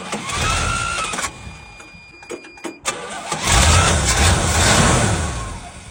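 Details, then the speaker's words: 1977 Chevy/GMC C7000 big truck unrun almost 12 years, brand new carburetor, possibly on 11-year-old fuel, just after starting: engine stumbles and surges unevenly, never settling; rough running, carb untuned, cause suspected. "This old card does not seem to be loving life."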